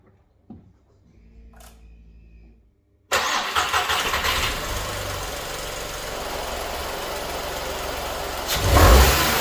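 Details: Skoda Fabia 1.2 12V after replacing its leaking catalytic converter, which is integrated with the exhaust manifold. Quick crank, a clean catch, then an even, steady idle with a smooth blip.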